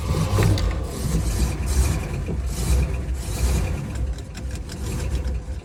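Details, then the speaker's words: 1966 Pontiac LeMans 326 with a Rochester 2-barrel carburetor and a sticking float, backfiring earlier: heavy, uneven starter churning without catching; likely flooded from pumping the gas. "I was gonna flood again I don't know why I'm pumping the gas means it's flooded"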